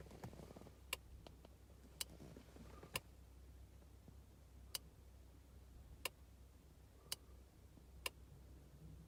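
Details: 2000s BMW Mini Cooper S R53 with the engine off: sharp dry clicks about once a second, heard for roughly 15 minutes, from behind the centre console. They sound like a switch operating; the car has an added voltmeter, oil temperature gauge, navigation, subwoofer and amp, radar and ETC. Source unknown.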